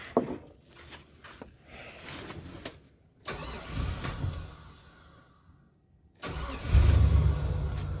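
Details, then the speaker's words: Barn-find Chevy 3500 8.1 V8, sat about two years, low on coolant: uneven cranking in several bursts with pauses, then catches and settles into a steady, low, even idle with no smoke; normal start and idle. "she's idling she's idling"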